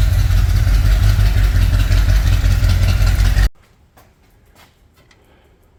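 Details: 1964 Ford Thunderbird V8 after a top-end rebuild: once briefly run, the lifters have pumped up; a steady, even rumble with no ticking for three seconds; it had probably been down one cylinder.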